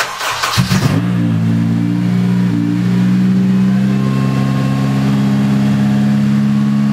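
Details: Swapped Honda K24 engine running on an open header pipe with no exhaust, wheels off the ground: catches after a few rough turns, then a loud, steady, even drone with no knock; normal revving.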